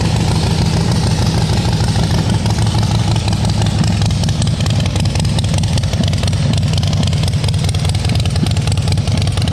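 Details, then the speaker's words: Rebuilt 2010 Harley Softail Standard, S&S engine, after shaving a millimetre of aluminium to cure a clearance issue: loud deep V-twin lope, steady low thump and even firing, no knocks or misses; runs cleanly. "I don't know if this is going to equate, but it's loud."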